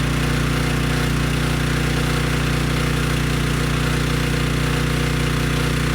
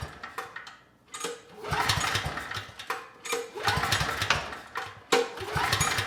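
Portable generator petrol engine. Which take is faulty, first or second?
second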